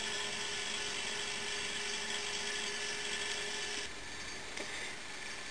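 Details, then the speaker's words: Prewar General Electric CA Monitor Top refrigerator compressor under load, hot water in evaporator: steady hum with a fast rough rattle about four beats a second and hiss, growing louder; non-condensable gases suspected, needing purging. "okay i've got a saucepan full of hot water sitting inside the evaporator that'll make it work hard and get the pressure up and warm the condenser sufficiently okay now you can hear that the rattle is starting to become a bit more pronounced"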